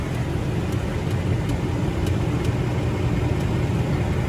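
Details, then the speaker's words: 2020 Ford Mustang GT V8 at the dealer for service, with a tick first heard around 1,000 miles: sharp ticks about two or three a second, not quite even, over the idle; the engine tick is still present and getting bad. "there so yeah even on the 2020s guys these these Mustangs tick and I knew that was gonna happen"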